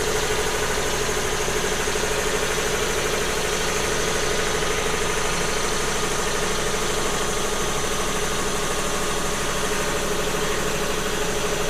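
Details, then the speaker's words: Newly wired-in Eaton air compressor heard from about 3 feet away: steady even hum with a fast, regular pumping pulse, fairly quiet, no knocks or rattles; normal running. "It doesn't sound too bad. It's fairly quiet."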